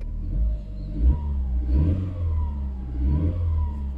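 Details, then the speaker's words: Coupé with 160,000 on it, started after standing on a yard: steady low engine hum with a few gentle revs, clatter gone, no knocking; runs smooth like new. "160000 ist nichts normal coupé anspringt so druck klappern weg perfekt wie ein neuwagen"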